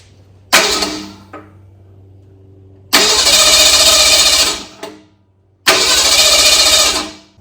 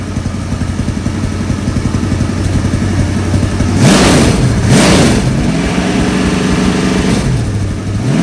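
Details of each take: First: 1964 Ford Galaxie engine on a run stand with a swapped carburetor, fuel pumped in after running empty: three short cranking bursts that catch and die; hard starting, choke stuck open. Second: 1964 Galaxie V8 on engine run stand, carburetor refitted, idle set via screw on bottom of choke, oil pressure working: steady lumpy idle then clean smooth blips, no miss; healthy, fan belt squeak noted.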